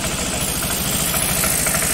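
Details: Carbureted Honda Vario 110 scooter idling smoothly and evenly after replacing the faulty cam chain tensioner that caused metallic ticking; no more ticking or rattling from the top end.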